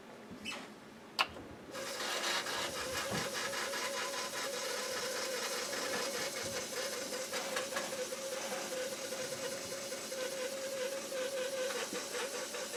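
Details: Commodore 1571 floppy drive reading a disc of unknown origin. A thin, steady high squeal holds under the soft ticking and whirr for the whole run; source unclear.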